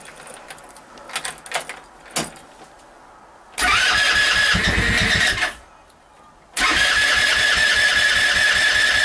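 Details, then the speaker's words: Go-kart small engine in snow: handling noise, then it catches, revs unevenly, dies, fires again and runs; a struggling hard cold start. "this is a hard start now oh that was so close wow"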